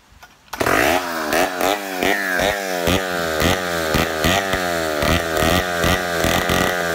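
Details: Poulan 71A chainsaw after carb work, replacing stiff old diaphragms, long sat unused: crisp two-stroke snarl rising and falling cleanly with throttle blips, no bogging; runs well, owner suspects slight intake leak from crank seals.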